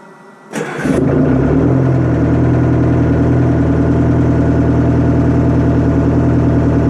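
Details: Detroit Diesel 4-53TIB two-stroke diesel, rebuilt Silver series, outdoors at about -8 to -10°C after 30-minute Webasto preheat, no oil heater: brief crank, fires at once, settles to a busy, even chatter. Afterward oil 28°F, engine 104. Normal cold start idle.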